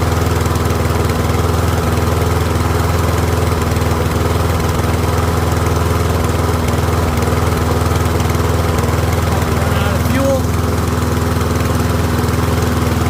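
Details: Troy-Bilt rear-wheel-drive mower with Briggs & Stratton Professional engine, after ultrasonic carb clean: steady, even drone at constant speed, no stumbling or surging, no smoke; pretty quiet, running smoothly about 5 minutes until fuel runs low.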